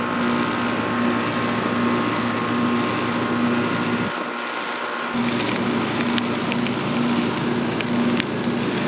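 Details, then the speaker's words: Outdoor AC condenser unit after replacing the capacitor (third one on this system), thermostat set to 56 degrees: smooth even hum with steady fan rush, no rattles or surging; running normally. "Alrighty, so I got the set the thermostat down to 56 degrees and it looks like everything's running fine. The fan sounds good."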